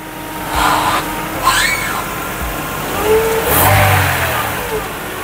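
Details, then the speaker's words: 1999 Honda Civic EX revved after replacing broken, loud rocker arms; quiet, clean rev blips with no ticking or top-end clatter, sounding as it should. "Grabe, ibang klase. Ang tahimik niya. Wow. Yan dapat ang tunog. Ganyan dapat ang tunog."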